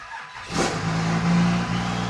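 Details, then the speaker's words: 2nd-gen truck with a high idle and no engine codes: it fires and settles straight into a fast, steady idle because the coolant temperature sensor reads -47, so the ECU thinks the engine is extremely cold. "it idles extremely high. And there's no codes in the engine control module. But if we come over here and look at the coolant temperature, it's at -47. So, this is a high idle due to it thinking it's extremely cold outside."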